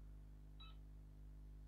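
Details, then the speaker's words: Sega Mega Drive II that had a black screen, switched on after the cartridge slot pins are cleaned with isopropyl alcohol: a short high beep over a low mains hum. "let's try resetting it oh it makes funny noises hmm oh oh it doesn't sound right is it oh it has kind of come on though but something's not right"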